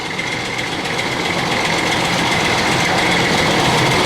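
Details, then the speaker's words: 2000 Ford Expedition 4.6 V8 idling: a constant, loose clattery rattle like marbles in a can, from a worn timing chain slapping against its housing. "you can hear this clickey clacky noise sounds like marbles in a can or whatever common chain is slapping against the side of the housing"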